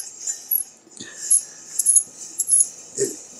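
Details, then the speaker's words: Dayton single-phase lathe motor during the rebuild, shaft turned by hand: a dry, scratchy scrunch returning roughly once a turn; the plastic start-switch insulator is rubbing the centrifugal clutch, later quieted with silicone grease. "because what you heard before was like that plastic coming around here on the uh centrifugal clutch"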